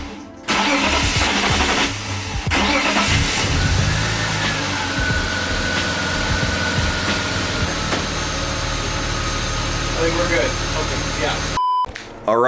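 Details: BMW E36 328i convertible with M52 engine, first start after fuel filter replacement and fuel pump fuse reinstalled: brief crank, clean catch, steady even idle with no misses or knocks; healthy start.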